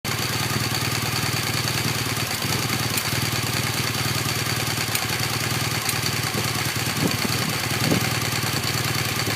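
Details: 2015 BMW R1200GS LC (K50) boxer at idle after about 1500 km; steady idle with faint quick ticking, apparently from the right cylinder, cause not yet clear: engine ticking.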